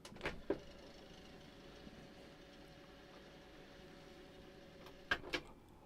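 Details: Hitachi TRK-8130E radio cassette after mechanism service and new belts: a click, then a quiet, even whirring hum at steady pitch until the stop click; fast forward runs smoothly.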